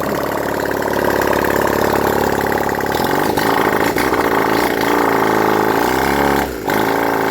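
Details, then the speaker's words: Honda CD175 single during restoration, engine reinstalled after timing reset: kicks over, catches at about three seconds, then a loud open slightly lumpy beat at steady idle; runs, owner unsure how well yet. "I set the timing and everything else put the engine back in the bike um tried to start it it runs um not too sure how well it's running right now"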